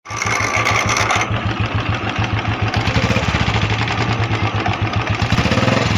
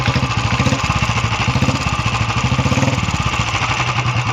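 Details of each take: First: Royal Enfield Bullet Classic 350 at idle: steady thump with fast loose metallic rattle on each beat; starter (self) clutch bearing rattle, as its spring broke and the balls strike the housing. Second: Royal Enfield Classic 350 after repair: steady even single-cylinder idle, no extra rattle; earlier noise was the self-starter bearing hitting its housing after its spring broke, bearing removed rather than replaced, now running normally.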